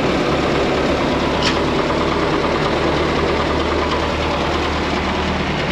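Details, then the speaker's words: 1927 White dump truck, first start after sitting 20 years: it ticks over slowly with a dull drone and a loose mechanical patter, settling evenly. It sounds like new with 28 psi oil pressure; normal idle. "what do you think Grandpa sounds like new it sounds like new just turn right along huh"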